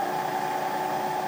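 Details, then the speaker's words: Bridgeport milling machine spindle motor on a newly installed VFD, running back up to speed in reverse: steady hum, constant whine and airy fan rush, no rubbing or rumble; healthy. "up to speed can even flip it in reverse while running it'll come know stop and flip right around"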